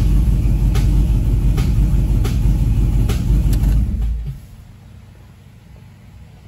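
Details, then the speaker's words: 2015 Camaro SS at idle, uneven and lumpy with a pulsing beat about three times a second before dying down: misfire. A scanner is used to find the cylinder; timing to be checked. "it's pretty bad guys so i'll put my scanner on it and see if i can pinpoint what cylinder it is again"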